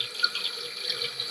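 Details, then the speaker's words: Toilet tank running continuously, float all the way up, before Fluidmaster Performax fill valve replacement: steady hiss of water flowing in without shutting off; worn fill valve seals suspected. "sometimes you have uh where these uh the seals and the inside here just wear out"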